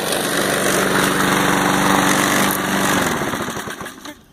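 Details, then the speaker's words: Mower engine after a makeshift carburetor repair (remounted carb, stainless steel wire fix) following runaway revving past governor control, air filter off: steady even buzz holding a little above idle, no surging; the repair is holding. "it's holding up pretty good it's staying right at the city a little bit higher than idle but it's holding it"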